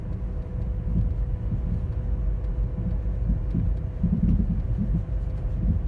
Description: My 2010 Toyota Corolla le is giving off an loud thumping popping noise it’s way louder in person